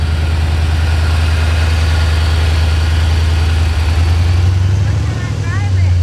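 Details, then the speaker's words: C4 Corvette V8 on its first start in 12+ years, with a new Bosch OE fuel pump. Deep, low idle with a slightly uneven, lumpy beat, as if occasionally dropping a cylinder. The owner suspects a one-cylinder misfire; not yet diagnosed. "she's running pretty smooth it does seem like it's got a misfire and probably a one cylinder or something"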